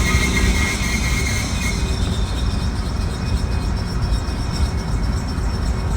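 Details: 2018 Jeep Renegade making rare harsh continuous grinding over heavy low rumble, no clear rhythm, occurring once or twice a year and stopping after shifting into reverse or a few minutes; cause unknown.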